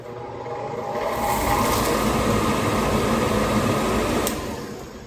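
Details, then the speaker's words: Old 40-year-old industrial media blaster's blower motor number 1 (taped cord) powered up: steady even whir spins up, holds constant airy roar with no grinding or knocking, then winds down; normal running. "Let's try blower motor number 1 and see if it catches fire, because the cord on that one's already taped."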